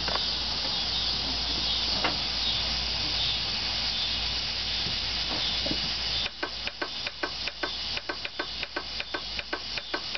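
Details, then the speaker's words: 1990 Nissan pickup, new battery and new starter, clutch in, key turned: sharp dry clicks repeating a few times a second at the main relay under the hood, no cranking; cause unknown. "Then I'll set you out here under the hood, and you can hear near the main relay the clicking. Set y'all right here. It's clicking from here, right here."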